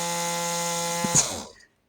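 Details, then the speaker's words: Rotary tool after repair with rewired negative connection: strong, steady high whine holds about a second then spins down; motor at full healthy speed, higher pitch than the weak, half-dead sound before. "And that's compared to this. You can hear the difference in pitch. That sounds like it's half dead. Whereas over here, it sounds like it's going strong."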